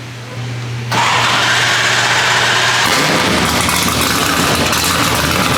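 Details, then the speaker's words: Nissan S13 240SX with LS swap, starting: short starter whir, engine catches suddenly and settles into a loud, somewhat uneven idle; not enough air coming in at idle, adjustments planned; cause suspected, not confirmed. "yeah we're about to make some adjustments real quick for you eric okay so basically right now we have not enough air coming in correct"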